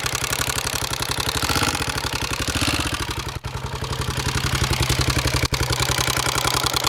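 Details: Honda XR650R single-cylinder idling: loud rapid clattering ticks riding on the thumping idle, steady with engine speed; unexplained mechanical engine noise.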